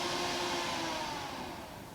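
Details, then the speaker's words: Off-grid cabin whole-house DC fan on PWM motor speed controller turned down to low: soft airy hum with faint steady motor tone, settling quieter; running smoothly at reduced speed. "It's quiet. It's still running."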